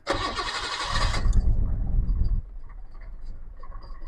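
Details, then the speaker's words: R33 Nissan Skyline with an idle problem, after throttle body and MAF cleaning: cranks, catches and runs rough and uneven for a second or two, then settles to a smooth steady idle; rough running after start. "So, it's pretty much the same thing. You can hear it. It runs like crap and then it clears itself up."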